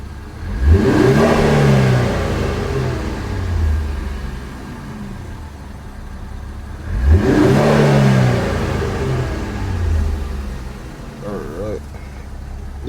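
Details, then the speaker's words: Infiniti Q50 Red Sport, crashed and being rebuilt, jump-started and warmed a little, Sport Plus mode: two sharp blips, engine climbing cleanly and dropping back to steady idle, no knocks or rattles; crisp, healthy revving. "about to give you a quick little revs put on sport mode matter of fact Sport Plus this a real red sport like ain't missing no Pages"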